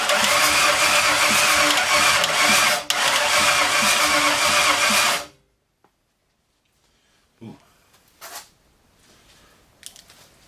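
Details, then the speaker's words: 1964 Ford F100, salvaged 90s LTD roller-cam 302 off the road since the 1990s, first cranking with a battery hooked up and oil barely on the dipstick; labored even cranking about four turns a second; engine sounds tight; no start yet. "sound good cranking over sounds tight"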